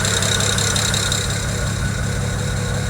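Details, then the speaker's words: BMW 335i at idle with the number 6 injector unplugged: lumpy, uneven idle with a recurring stumble, running on five cylinders and misfiring; injector 6 was the source of the excessive ticking. "so there's what that injector unplugged obviously is running really bad"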